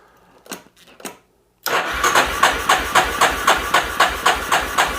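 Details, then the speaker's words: 1988 Yamaha Terrapro 4-wheeler taken in on trade, said to have stalled, cranked on a jump box; starter turns the engine slowly and unevenly, about four compression pulses a second, with no spark and no firing. "we are turning over a little bit slow with this jump box we're going to check for spark no spark no fire no nothing"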